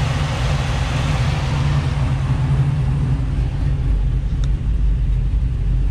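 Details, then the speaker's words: Chevy Nova V8 at warm idle after thermostat replacement, with the cooling fan running: deep, steady rumble with fan rush and no surging; fan brought temperature down normally, next a road test. "all right fan was bringing it down like normal so next thing I just got to do is get out on the road"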